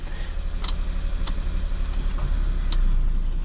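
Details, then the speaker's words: Maruti Alto with 98,100 km and new engine mountings, idling with AC on: small engine ticking over steadily with a soft regular pulse around four per second, no heavy shake or noise; normal idle with AC on. "तो आप देख सकते हैं बिल्कुल study हमारा engine पर कोई voice नहीं आ रही"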